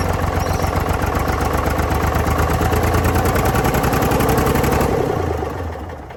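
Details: Previously seized Ford 4000 diesel tractor on starting fluid: a fast, uneven clatter with a knock in the rhythm for about five seconds, then it dies. Owner links the poor running to throttle and air, isn't worried about the knock yet, and suspects a diesel leak.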